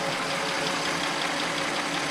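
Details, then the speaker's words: Audi S6 bought from Copart, first start after new turbo install, run briefly with no coolant: a steady, even idle hum with a light hiss and no knocks or skips. "it up you happy right now it sounds absolutely fine"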